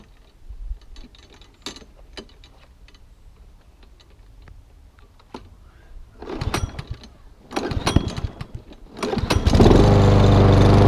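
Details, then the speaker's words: Mountfield lawnmower, rained on, throttle cable adrift and drive not working: pulled over with a few coughs, then catches and runs at a fast, slightly uneven putter; engine running rough, not quite right. "So it's all running, not running quite right, could run a bit better than what it is."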